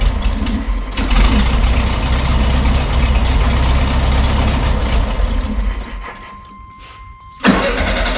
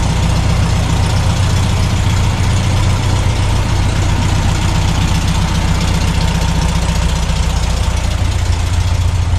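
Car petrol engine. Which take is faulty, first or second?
first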